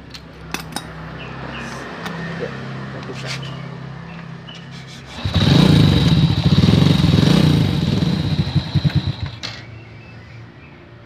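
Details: Honda Supra X motorcycle after tracing and restoring lost ignition: fires up after quiet shuffling and runs a few seconds with an even beat, so spark is back and it starts.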